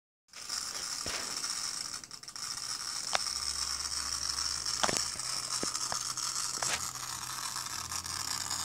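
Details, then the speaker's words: Asus tablet that won't power on: scattered dry clicks and short ratcheting snaps over faint hiss from inside; ratcheting noise with no power, cause unknown. "No enciende. Simplemente está haciendo ese ruido raro."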